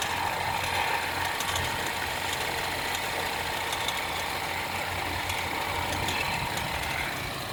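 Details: BMW 316i F30 at cold idle on the first start of the day: light, fast, irregular ticking about three per second, traced to a bad radiator/AC fan belt tensioner.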